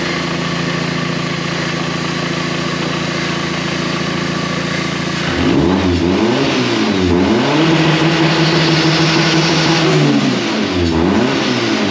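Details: K11 Micra Super Turbo time attack car, after the crank sensor was swapped for the identical cam cover sensor because the loose trigger wheel damaged it: steady idle, then several clean revs up and down. Appears to run normally.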